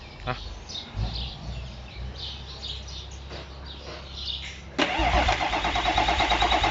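Quiet at first, then a steady starter churn at about three beats a second with no catch or firing; the engine cranks but won't start.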